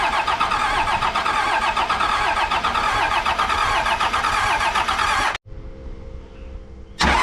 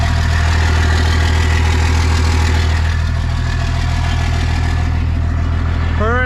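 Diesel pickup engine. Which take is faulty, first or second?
first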